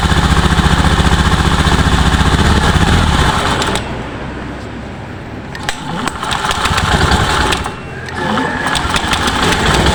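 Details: Honda Beat ESP scooter on its first test start after an engine rebuild for oil loss without smoke (piston and cylinder block badly scored): quick, even single-cylinder putter, about four beats a second, settling smoothly with no knocks or rattles. Normal idle.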